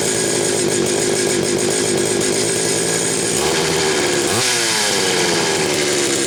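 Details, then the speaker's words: Homelite 330 chainsaw, warm, test run without choke after bar oiler checked: strong, steady high-revving two-stroke buzz with a brief blip near the end; runs clean and even. "now that I know I've got it running good"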